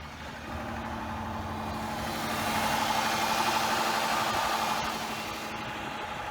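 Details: Dodge Charger after a new fuel pump install that initially didn't work, fixed by correcting swapped pump power and fuel-level wires: engine settles into a steady, even idle with a smooth mid-pitched hum, no misses or knocks; healthy.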